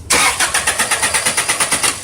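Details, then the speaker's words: 2002 Subaru Outback cranked with the coil disconnected during a vacuum test: even, rapid starter cranking at about eight to nine compression beats a second, never firing; the gauge needle moved about three, still in the zero box. "what i'm going to do is disconnect our coil so we can read it while we're cranking it go ahead and crank"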